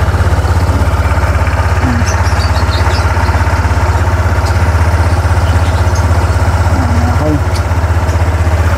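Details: Honda ADV 160 scooter started after fitting a stainless skid plate (bolts torqued to 49 Nm), checking the exhaust pipe for leaks: low, even putter at steady idle, no hiss or ticking puff; exhaust sealed, normal healthy idle.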